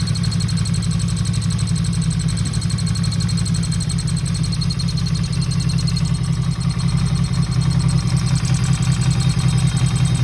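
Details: 1977 Yamaha XS750 at idle: steady low idle with uneven, loose ticking chatter on top; last run before carb teardown, old gas suspected gone off. Owner unsure whether noise comes from cam/valve area up top or a vacuum leak; unconfirmed.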